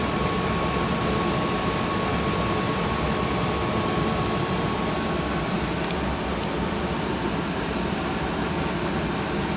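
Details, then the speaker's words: New Rheem Classic Series furnace just after the flames and gas valve shut off: the inducer motor keeps running with a steady even rush of air and a faint constant hum before the blower run-on; normal inducer post-purge. "there you go you can hear it still here the reducer motor"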